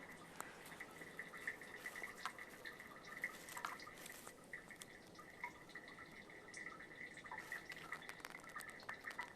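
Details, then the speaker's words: Residential grinder pump tank, listened to while homeowners are away on vacation: faint irregular dripping and trickling echoing inside the tank; water trickling in, probably from a running toilet, suspected cause of alarm. "So there's a trickle of water, and you can hear it. I hope you can pick it up on this. There's a trickle of water running into their grinder pump. It's probably from a toilet that's running, and this is not a good thing on a grinder pump house."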